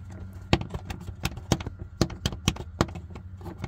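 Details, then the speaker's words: 2022 Kia EV6 rear side cabin pressure vent: light, irregular plastic taps and clicks as the flaps open and close against their frame with pressure; source of the tapping rattle, fixed by putting yarn between the flaps and contact points. "there's a vent for cabin pressure in the back of the car on the side and it has flaps on it and as pressure builds the flaps open and close and they sound like this"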